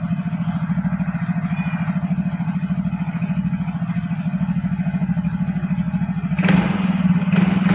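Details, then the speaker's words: Yamaha Fino automatic scooter road test after repair: engine pulls with steady, even pulse and no shudder as it picks up; clutch judder cured, usually caused by dirty or oil-contaminated clutch shoes and clutch bell at the secondary pulley. "Oke kang Bro posisinya sudah saya coba jalan dan hasilnya untuk gredeg sembuh Kang Bro"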